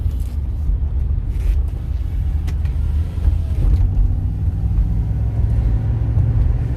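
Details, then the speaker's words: 2006 Chevrolet Impala SS, test drive after replacing the bad wheel hub assembly that caused wheel grinding noise; smooth low road rumble with no grinding or growl, noise completely gone, hub now runs quiet. "quieter mice is completely gone"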